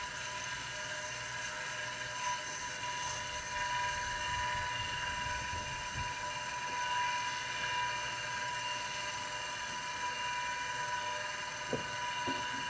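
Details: IBM XT 5160 10MB hard drive spinning on 12 V after a manual kickstart, drawing about 2.5 amps: thin, steady high-pitched whine with a rough, hissy edge from dry, noisy spindle bearings.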